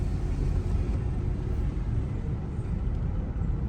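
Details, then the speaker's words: Range Rover at 168,909 miles, test-driven on back streets with windows open: steady low road rumble with no scrape, rub or grinding; no brake scraping. "So far so good. I do not hear any scraping."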